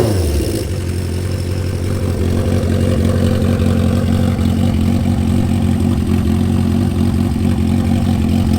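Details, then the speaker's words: 1977 Honda CB550 four-cylinder project bike with Delkevic 4-into-1 headers and a muffler: fires and settles into a smooth, even, low idle burble with no knocks or misses; healthy engine. "She's a happy one."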